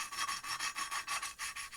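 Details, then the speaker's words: Hand-lapping a CB250 exhaust valve with fresh coarse cutting paste: rhythmic gritty rasping strokes about six a second, high and scratchy, getting nice and smooth; nearly ready for the next step. "think you'll be able to hear that now it's just getting nice and smooth now we've been nearly ready for the next place"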